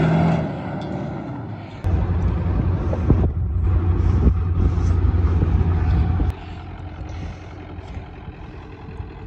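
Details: Old Ford Power Stroke diesel truck, rear fuel tank leaking, started after long storage: engine catches quickly, deep steady diesel rumble settling into an even idle; runs healthy, normal start.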